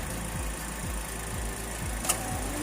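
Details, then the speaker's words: Toyota Rush at idle with the AC compressor and auxiliary fan running, after a throttle body cleaning: steady, even idle with a soft low whoosh pulsing about twice a second. Engine stays solid with no movement; healthy. "that's the compressor together with your auxiliary fan"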